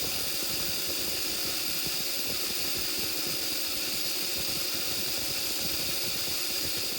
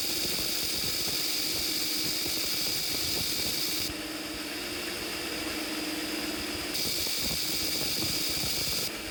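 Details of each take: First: Apparently, running a treadmill motor without a choke is a bad idea. And, as you will see in this video, the motor produces LOTS of sparks when run without a choke. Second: Treadmill motor for worktable sawmill on DC with new choke built from modified transformer: steady high electrical whine, faint even hum, no crackle; sparking reduced to almost nothing, brushed motor running smoothly.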